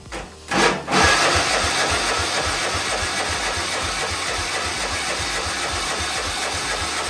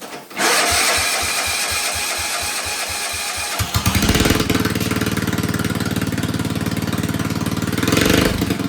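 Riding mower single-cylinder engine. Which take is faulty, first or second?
first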